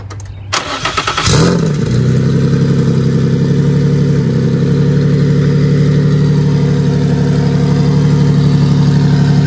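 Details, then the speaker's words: Nissan 350Z single-turbo VQ35DET (Garrett T04E, 10psi tune, hood-exit open dump and wastegate), just after thermostat swap: brief crank, clean catch, steady deep lumpy idle with no knocks or misses; healthy start. "i'm about to throw it back and start the car for you guys so you can hear what that uh hood exit open dump open waste vq35de turbo sounds"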